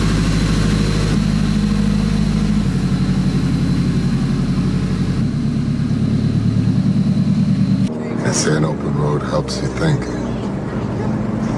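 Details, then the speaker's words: Turbocharged Nissan (GTR/Silvia project) runs with a lumpy mid-speed rumble, then the drone drops out as it stalls after revving; owner suspects the blow-off valve leaking boost to atmosphere, not sure. "so you can hear the car died right there at the end as i was rubbing it so that could be because the blow off valve is leaking boosts in the atmosphere"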